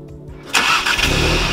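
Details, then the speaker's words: 2017 VW MK7 GTI after tightening a loose exhaust bracket under the resonator that caused a startup rattle: engine catches and settles into a steady, even idle with no rattle or buzz; normal startup. "perfect well guys there you have it it was a loose bracket that i've been putting off fixing for a very long time"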